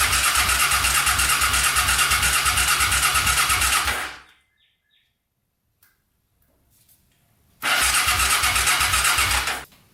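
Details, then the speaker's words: Custom pulling tractor with a swapped 500cc Honda motorcycle engine, long sat, gas poured on carbs: it catches, runs a few seconds with a quick even beat, cuts out, restarts briefly, dies; rust and water separation in the fuel. "looks like there's some water separation as well going on not good that's probably why i only ran for a couple seconds"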